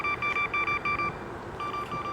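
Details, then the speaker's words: Segway Ninebot S-Plus self-balancing scooter, capped at 12 mph, coasting downhill: quick, evenly spaced high double-pitched beeps several times a second, pausing and resuming as it slows the rider; overspeed warning. "and it just won't stop beeping at me and slowing me down which is super annoying there it goes again I'm barely even coasting down this hill"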